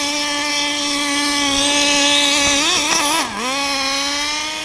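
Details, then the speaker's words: Small nitro RC car engine warming up on a cold morning, about 40–45°F: high, thin buzzing note holding steady, briefly sagging and wavering before settling; running a little rich because of the cold. "It is really cold this morning, so we got to warm her up a little bit. Running a little rich just because it's really cold."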